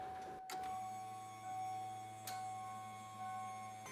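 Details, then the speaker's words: Normal fuel pump buzz on a 1980-1996 Ford Bronco/F150, ignition on and engine off, pump terminal at the diagnostic plug grounded to run it continuously for a fuel pressure test; steady low buzz with faint whine after a click. No buzz would mean checking for 12 volts at the pump connector. "You should hear the fuel pump buzzing. If not, check for 12 volts at the fuel pump electrical connector."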